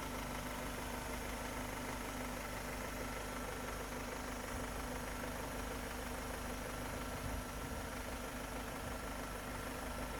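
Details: Petrol car engine, previously misfiring, hard starting, stalling and losing power, idling steadily with no stumbles or misses after the insulator was replaced; normal idle.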